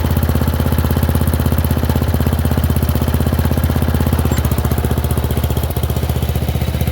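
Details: Murray Select 30" riding mower mowing on a slight incline with unsharpened blades: steady, even single-cylinder chug with a deep beat holding pace under cutting load; engine runs fairly well and cuts decently.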